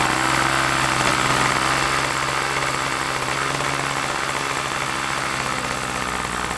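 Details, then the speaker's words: OS LA40 nitro glow engine on a balsa trainer plane, eBay purchase, first run after months in storage, fired first turn, initially a bit rich: steady high-pitched buzzing with even tone, no misfires or surging; normal running. "Wow first time fired up can you believe that I mean wow I mean she's been sitting in the hanger for a few months now and everything else one turn and she fired up I am so impressed with that little engine"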